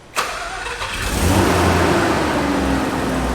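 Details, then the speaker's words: 1990s JDM Eunos Cosmos rotary after the fuel line was reconnected to the fuel pump: it catches and settles into a steady, even idle with a smooth low hum and no misses, little smoke; AC compressor kicks on. "Oh my God, it's idling. It's idling. Boys, it's idling. Woo! Look, it's not even that smoky right now. It sounds like a car. It doesn't sound like a rotary, which is hilarious."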